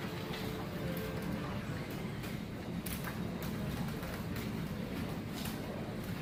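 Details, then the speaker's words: LiftMaster 8500 garage door opener opening: steady low rumble with rough scraping grinding clacks near the top and bottom, because clearance is too tight; installer plans to widen it. "So right about the top here, we're going to get some noise. Oh yeah, it's too tight."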